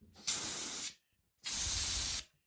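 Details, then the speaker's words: Mastercraft contractor-style twin-tank air compressor that won't build pressure: two sharp one-second bursts of high hissing at the discharge line fitting as pressure rises; leaking discharge connection. "as soon as uh there starts to be any kind of pressure in here uh there's a leak that develops uh right around here"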